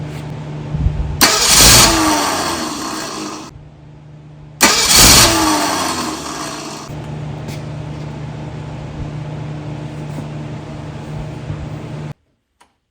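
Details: Yard-salvaged engine for a 1964 Galaxie build, first run on a homemade run stand, no working choke: two short cranking bursts with rough catches, then lumpy low idle; one carburetor side sprays fuel, the other doesn't, causing hard starting.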